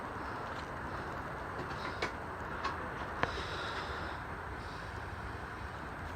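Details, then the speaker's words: Two 60-inch cast aluminum Dayton industrial ceiling fans, one three years installed and one new, spinning up: steady even rush of air with a few faint ticks and no rubbing or wobble; running normally. "It takes a little bit to get up to speed, but yeah, man, they get the speed fast. There you have it, two 60-inch Daytons."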